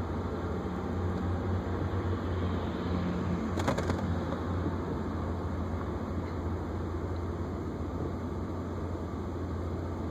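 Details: BMW E36 with M52 engine, warm after a 25-minute highway drive, idling at a red light: low, uneven drone that swells and sags with RPM fluctuation and whole-car vibration; not present on cold starts; cause unconfirmed.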